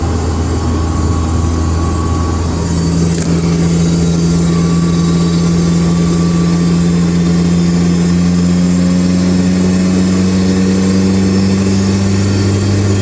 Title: AP1 S2000 wierd consistent whining noise... Diff or trans?